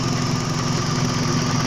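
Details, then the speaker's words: Toyota Vios G, idle-surge fault: at about 95 °C with rpm normal, a smooth steady low rumble with no dips or surges; idle stable and healthy. "pada sekarang ini derajatnya di sekitaran 95 derajat 95 derajat untuk bulan temperaturnya RPM normal ya"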